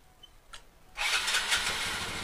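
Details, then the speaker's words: Motorcycle whose ignition key lock is stripped, started by bypassing the switch with a wire: brief starter whir, engine catches at once and settles into a steady, even idle; starts and runs normally. "Guys sudah hidup dia dengarkan suaranya Nah sudah hidup nih dengan kondisi ini"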